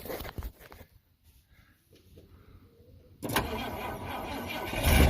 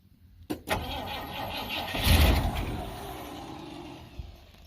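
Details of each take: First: 1971 Ford F100 V8 on a small battery. The starter drags the engine over sluggishly in a short labouring burst that fades without catching. Slow cranking; owner suspects the tiny battery. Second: 1971 Ford F100 V8 right after a new starter solenoid was fitted. A click and a short crank, then it catches cleanly into a quiet, even idle; the exhaust smells plugged up. Normal start and idle.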